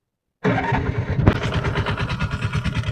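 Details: TVS King Deluxe three-wheeler (bao-bao) single-cylinder, after replacing high-tension wire for stalling, hard starting and low power uphill: fires straight away, settles to quick, steady putter about seven beats a second; normal start and idle.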